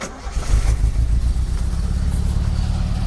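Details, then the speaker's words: Toyota Carina after head gasket replacement and a newly made exhaust: short crank, then deep soft rumble with no rasp or leak; the new exhaust sounds very quiet and healthy. "то есть ну как бы вообще очень тихо получилось"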